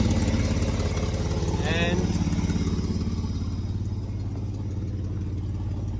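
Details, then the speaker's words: 1984 Holden VK Vacationer wagon running off its own fuel tank: steady low idle with a regular puffing tick around three per second over the engine note; a bad exhaust leak at the front. "so that's it running off the tank it's still got a really bad exhaust lake at the front"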